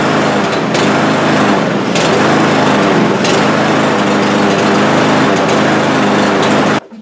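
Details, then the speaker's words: Cub Cadet lawn mower with over a hundred acres of use, electrical ruled out: the high-pitched engine rises and sags unevenly before cutting out; owner suspects fuel starvation, lean rough running from a clogged carburetor; it smooths out after about ten minutes. "to me it sounds like it's running out of fuel so I'll start it up for you here"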